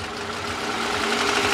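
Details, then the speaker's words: Toyota Camry engine, model said to burn oil from the factory, gives a rapid dry mechanical clatter over a steady hum, swelling slightly as revs rise gently; appears to have run without oil, suspected oil starvation knock. "el cliente viene preocupado por ese sonido que hace el motor Oiga ya con motor parece que no trae aceite señores"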